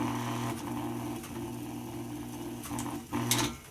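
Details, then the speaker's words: 1995-96 Lasko box fan after service, new thrust washer fitting cured slow cold start-up and scraping: steady low motor hum with brief dips stepping through all three speeds, smooth, no rubbing or rattle; normal running after repair. "sounds like it works on all three speeds i think we have repaired it"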